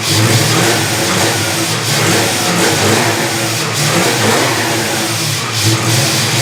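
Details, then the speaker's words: 1974 Dodge Charger V8 after sitting two years, carburetor fitted without base gasket, booster port capped: uneven lumpy idle with hiss over the revs; vacuum leak at carb base, fixed later by adding base gasket and spacer. "i'm just going to ignore the vacuum leak created by not having a gasket on the carburetor figures let's start it will actually stay running"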